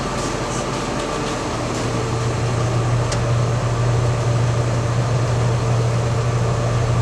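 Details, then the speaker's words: Supreme 1200T mixer wagon driven by a 7720 tractor, after installing kicker plates on the mixing screws: smooth, steady low drone with no knocks or scraping. The screws turn freely. "Alright, it's making its way around there."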